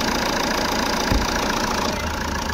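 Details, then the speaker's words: Jeep Compass diesel idling after alternator pulley replacement, heard in the engine compartment: even idle with light normal clatter, no squeal, chirp or rattle from the belt side; earlier grinding gone, engine bay silent. "अच्छा तो यहां पे engine start किया है और जो हमारा बाहर का आवाज आ रहा था इंजन का व हमारा क्लियर हो गया है यहां पर इंजन कंपार्टमेंट में कोई आवाज नहीं है एकदम गाड़ी हमारी साइलेंट हो गई है"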